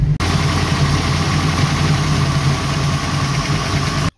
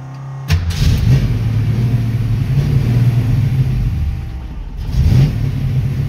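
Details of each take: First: 1966 Mustang, 650 double-pumper Holley carburetor, after transfer slot adjustment, still cold: steady even V8 burble idling on its own without hunting or stalling, normal cold idle; more fine tuning needed when warm. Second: 1966 Mustang with a Holley 650 double-pumper carburetor stalls at idle without throttle: V8 catches, revs, then sags and dies as the gas is released; idle screw adjustment doesn't help. Fixed by adjusting the transfer slot; gasket suspected earlier.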